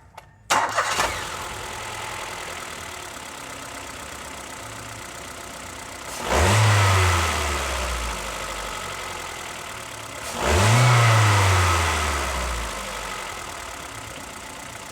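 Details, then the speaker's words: Ford EcoSport Sigma engine with the alternator accessory belt removed; throttle blips fall back to a quiet, even idle with the rattling noise gone, pointing to a leaking, loose water pump. Normal idle with belt removed. "Então pessoal, quando a gente desmontou a correia do alternador e ligou o carro, a gente notou que ele parou o barulho."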